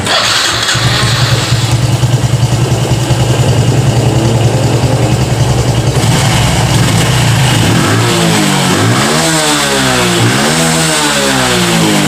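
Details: Honda Revo FI (fuel-injected) with a complaint of weak top-end power, after a fix using aluminium foil: the small single fires up, idles steadily, and revs rise and fall cleanly several times, pulling normally.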